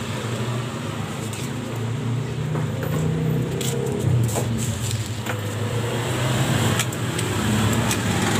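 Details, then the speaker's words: Honda Spacy scooter, kick-started because the starter is dead, with a rear CVT under a year old: the idle is fairly smooth, but on throttle and at speed a rough "kretek" rattle comes from the rear CVT. "tapi sewaktu awal digas kita gas pasti suara itu bunyi kedengaran ya Nih kita gas nah bunyi ini rasanya kalau lagi laju agak kencang dia Bunyi terus kretek kretek kretek"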